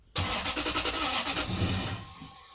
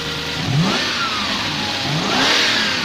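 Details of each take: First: Lexus LS400 V8 after auxiliary belt tensioner and idler pulley replacement: starter churns at a quick even beat under two seconds and never fires; crank no start, needed new spark plugs. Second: Lexus LS400 V8 after new auxiliary belt tensioner, idler pulley and spark plugs, air filter assembly refitted. Smooth rising and falling revs with clean pitch sweeps, no squeal or chirp from belt area; quiet and healthy, normal revving.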